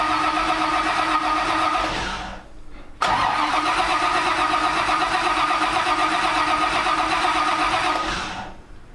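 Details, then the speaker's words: Supercharging-project NASCAR with a Pro Billet MSD distributor and a 23-year-old MSD 6T ignition box and Blaster coil. Two long bursts of steady, whirring starter cranking never catch, though a tach signal is present. Cause: the distributor cap was not fully seated, leaving a gap. "Okay, so it's not even trying. We gotta do some troubleshooting."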